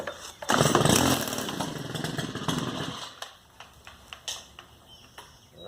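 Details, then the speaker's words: Stihl FS110R trimmer that was bogging and wouldn't rev, after its carburetor was replaced with a new one: on choke it catches on the first pull, buzzes strongly for a couple of seconds, then drops back quietly. Normal start. "fired on the first pool all right we have some success on here"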